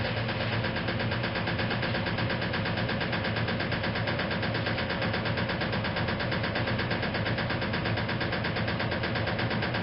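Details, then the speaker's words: 1956 Whirlpool Imperial automatic washer, fully restored, in final spin: steady spin hum with a regular knock around 100 a minute from the rear motor access plate never refitted properly, rattling against the cabinet; harmless, not affecting operation. "in case you're wondering why I'm not too worried about that knocking the sound that you hear that is actually the rear plate of the machine that says I never managed to get the motor access plate fitted back on properly from this machine"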